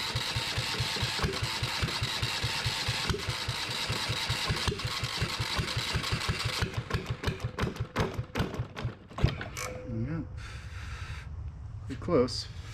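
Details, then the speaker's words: Yanmar 1GM single-cylinder marine diesel in a shop, with cooling water running through for cooling-passage flushing: a regular, even chug for several seconds with clean firing and no misfire, then it winds down and stops; it bounces less than expected. Normal running. "I just wanted to start it up I got that water going through there I know the lighting sucks um but thank goodness that I've got it running um and it's not bouncing around nearly as much as I thought"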